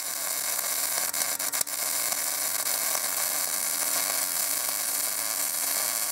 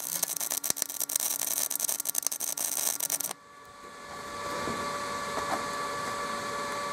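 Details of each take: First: MIG welder arc sputtering and stuttering with a steady frying hiss broken by sharp pops and dropouts, on a Binzel-style gun with 0.030 wire and tip; uneven wire feed caused by a worn gun liner, fixed by replacing the liner. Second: MIG welding with a Binzel-style gun after replacing the wire liner, same settings, machine and wire: steady crisp crackle with no sputter or stutter, smooth arc despite a big gap and poor fit-up.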